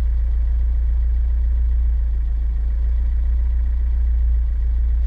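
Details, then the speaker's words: Chevrolet Niva at about 81° warm idle near 840 rpm, after a smoke test found and fixed an intake air leak. A deep, steady idle with only a slight slow wobble and no stumbling; previously the revs hunted and it nearly stalled. "слушайте конечно ровнее ровнее стал работать мотор есть какое-то колыхание но я думаю смотрите даже рычаги ничего особо-то не вот это вот не происходит с ними"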